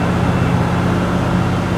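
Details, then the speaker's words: 1988 Centurion Bronco V8 without headers, 12 minutes into a break-in run after a cam, lifter and timing set replacement, held around 2000 rpm: a steady, smooth deep drone with no knocks or ticks; normal exhaust note. "all right 12 minutes everything's still looking good and that exhaust sounds"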